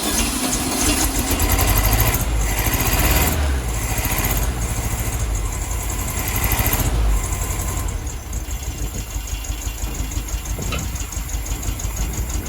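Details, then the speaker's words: 1972 VW Beetle 1200 started for the first time in about two years, on choke with fuel added to the carb float bowl. Choppy, uneven, loping idle with dropped pulses over a low rumble; not firing on all four cylinders. Misfire. "i don't know which cylinders it's not firing on um but it's definitely not on all four"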